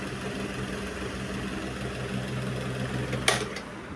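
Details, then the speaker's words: 20-year-old National desk fan that would not run, repaired and adjusted, tested at speed three: steady, even motor hum with a smooth airy whoosh and one brief click near the end; runs cleanly again. "Kipas ni masih hidup lagi. Hai. Kipas dah umur 20 tahun ni."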